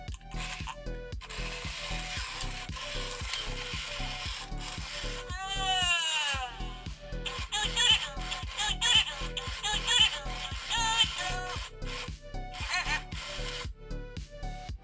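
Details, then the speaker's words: 1990s Furby powered directly at 6 V from a bench supply because of a missing battery-bay coil: steady gear-train ticking about once a second under chirps and warbles. Motor, eyes and sound working normally. "this one seems to be working quite well, doesn't it? So it's motoring, its eyes are moving, we've got sound."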